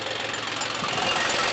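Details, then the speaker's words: John Deere 5105 tractor first start after full engine repair for overheating and oil mixing into the coolant: starts on one crank with no smoke, then a steady, even diesel idle with no irregular misses, firing healthy. "क्या शानदार firing आया है यार। बिलकुल भी धुआ नहीं है। और एक ही में स्टार्ट।"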